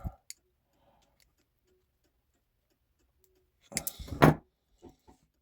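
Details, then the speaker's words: 1950s Gebr Kuner cuckoo clock, modified Regula 1 movement, function test during reassembly before oiling: quiet clicks, bird goes out and back with a whir, one two-note cuckoo; clean single strike cycle. "So we're doing a function test. Bird goes out, comes back in. It goes out, comes back in, it coos one time."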